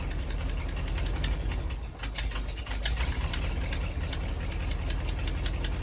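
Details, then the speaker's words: 1977 International hay-hauler truck: fires instantly, sharp ticking about four to five per second over low idle rumble; bad exhaust leak, worst on the other side; possible blown head gasket, coolant/oil everywhere. "fired right up instantly heard the terrible exhaust leak from there hear it but the worst is on the other side"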